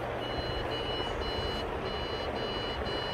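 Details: Old PC at startup: short, high beeps repeat about twice a second over a steady hum, a POST error beep code of unknown meaning, possibly a motherboard problem.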